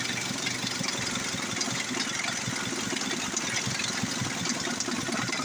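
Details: Older Ford diesel brought in for hard starting, after injector/injection and fuel line work: even idle with light, steady clatter, no misses or hunting; running properly.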